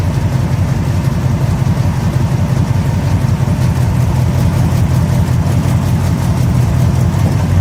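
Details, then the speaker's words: 1969 Plymouth Fury III V8 idling during a 30-minute run; transmission still leaking: deep, steady burble with even lope, no knocks or misses; normal warm-up idle. "I'll uh bring you the back and uh let you hear that exhaust uh it really does sound good"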